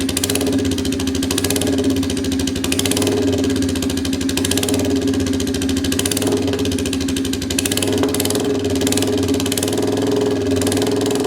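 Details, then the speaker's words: Royal Enfield 350cc Bullet single with freshly made custom exhaust fitted with baffle, not fired up in a while, in neutral; fast even idle thump with sharp crackles popping through the exhaust; owner suspects over-fueling or missing cat; exhaust crackle. "Well guys, I don't know what you can see what I can see, but sounding nice, didn't it? Sounding nice. Uh, a lot of crackies in that."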